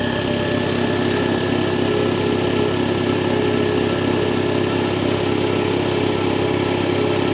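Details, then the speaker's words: Belt-driven air compressor after replacing the faulty check valve: steady even chugging of the pump at constant pace with no hiss or leak from the unloader between strokes; normal running, leak fixed. "and if everything was installed correctly and your check valve was not defective upon installation you'll find that you have no more air leaks coming out of your unloader"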